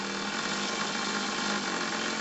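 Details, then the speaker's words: 1 cm³ twin-cylinder Stephenson-link model steamboat engine on air at about 800 g after 20+ years on a shelf: fast, even hissing chuff, no knocks; spins freely "like a rocket", no problem, best clockwise. "Donc c'est une fusée, pas de problème."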